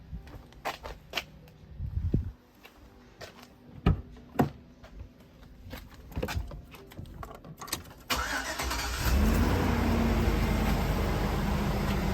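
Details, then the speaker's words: GMC Yukon, about 20 years old, after fuel injector replacement and reassembly: after handling clatter the engine fires almost instantly and settles into a steady, even idle with no misfire; fast start, good idle, no leaks. "Nice fast start. Good idle. No sign of leaks."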